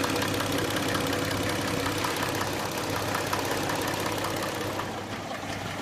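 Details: Hyundai Tucson engine at idle: steady idle with a light, fairly even ticking riding on top, suspected noisy hydraulic lifters.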